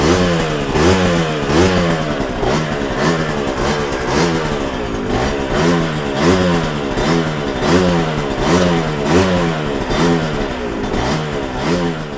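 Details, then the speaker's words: Yamaha TZR 250 3XV two-stroke twin warming up on choke, blipped about once a second to avoid fouling plugs: rattly, uneven crackle; the carbs are unbalanced between cylinders. "so first thing I'm going to do is check the temperatures of the exhaust headers and so the left pipe 109 sorry that was the right pipe the left pipe 82 so there's definitely some difference between the carburation her"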